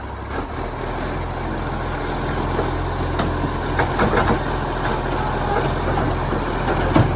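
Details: Euro 5 facelift garbage truck (SL780) with leaking exhaust pipe: heavy diesel idles and revs with harsh, raspy, very loud exhaust note and occasional air-brake hiss; exhaust leak, later fixed.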